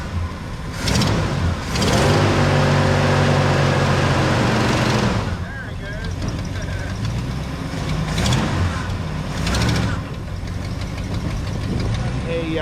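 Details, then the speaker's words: 1975 Ford F100 Supercab V8, first start after sitting a year on a colder day: light quick ticking over the rumble from an exhaust leak where the manifold flanges broke off the head. It fades once warm but returns at full throttle. "so it's got that exhaust tick and it goes away somewhere it's warmed up but it still comes back when you're on full throttle"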